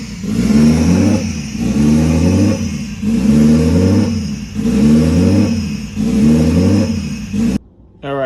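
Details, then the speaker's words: Scion FR-S with swapped Toyota 1JZ-GTE VVTi engine on first fire-up: idle RPM swings up and down about every second and a half, never settling, because the faulty idle control valve stays open at all times and can't be controlled. "So there's no other way. There's no way that we could control it, you know. That's why you guys saw that, you know, the car wanted to go up and down, you know, RPM up and down."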